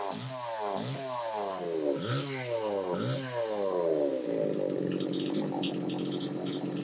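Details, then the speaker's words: Homelite Super 2 chainsaw, possibly a 1990 model, runs clean: crisp throttle blips rising and falling, then a steady high rev with no bogging; normal running. "so anyway you hear it it's running good"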